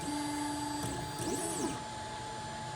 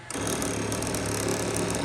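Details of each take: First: Monoprice MP10 3D printer homing again after checking the magnets: clean stepper whine, then quick chirps as the probe touches, drops a little, touches again and lifts. Smooth, normal homing; earlier noise blamed on magnets being off. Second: Monoprice MP10 3D printer homing with bed warmed up: harsh rapid buzz and chatter through the whole homing move instead of a smooth whir, as if binding. Owner unsure of the cause.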